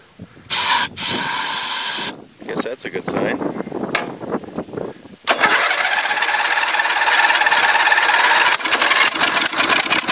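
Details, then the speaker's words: Dynamark lawn mower sat since last fall, little fresh gas, carb cleaner sprayed in: catches with harsh rattle and popping, runs a few seconds, then cuts out; owner suspects water in or gummed-up carburetor blocking fuel flow. "I'll give her a goal and give me some it was popping what happened [Music] don't wanna run no more"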